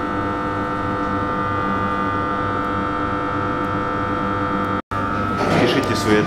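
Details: Steady, even layered hum with no crackle or rattle from a loaded TM power transformer, 1000 kVA, 10/0.5 kV; whether this hum is normal or signals a fault is left as an open question.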